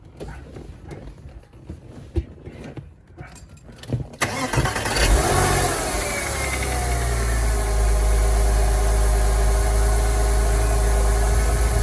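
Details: Porsche Boxster S 986 engine started after replacing the drive belt, upper and lower idler pulleys and tensioner pulley with genuine Porsche parts: after a few quiet seconds it catches and settles into a smooth, even idle with no belt squeal or chirp.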